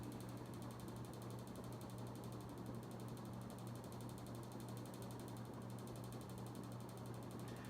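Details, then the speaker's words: Early-1990s 52-inch Emerson Summer Night damp-location ceiling fan on high speed: steady low motor hum with fine fast ticking and audible shake, slight wobble; blades out of balance suspected. "that's a slight wobble to it high-speed it doesn't spin terribly fast but it's actually a quite powerful fan definitely moves good air it does have a shake to it as you can hear"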